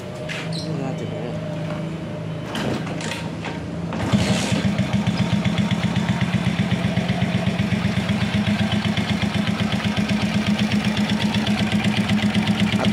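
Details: Rusi MP110 motorcycle after new tensioner and spring fitted to cure loud engine noise; after a start-up blip, even steady putter about four beats a second, no internal clatter; healthy idle.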